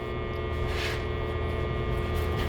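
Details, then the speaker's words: Magnetic amplifier in the line feeding a small fan: a steady low hum with fixed tones under the fan's rush as the fan slows. The core magnetics disrupt the primary, so the core hums and starves the fan. "you hear the fan go down you hear that start humming because the magnetics screws up the primary"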